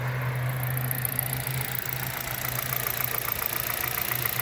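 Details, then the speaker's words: 2011 Hyundai Solaris G4FC, 166,000 km, new chain and phaser; idle about 900 rpm, coolant 58 °C warming up; light regular tapping about three to four per second, clearer with warmth, from the upper engine; source unknown: engine knock. "вот он появляется стук с прогревом становится отчётливый"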